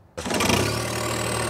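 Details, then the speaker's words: Turbocharged John Deere 1025R subcompact tractor (Johnny X, 32 PTO hp on dyno) with loader and land plane: diesel catches and settles, then a thin high turbo whistle rises above it and holds steady; cause not pinned down. "oh i heard a whistle"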